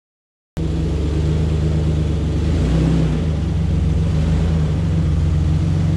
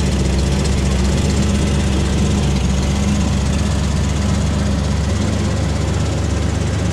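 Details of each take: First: 2004 Ford Ranger XLT FX4 Level 2: deep, loud, open rumble that swells a little with throttle, like straight pipes; exhaust leak from a rusted-through muffler, before the muffler was replaced. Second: 2004 Ford Ranger XLT FX4 Level 2 after a muffler replacement; it was very loud before. Steady, even low idle rumble with no exhaust roar, rattle or puffing; only normal engine noise remains.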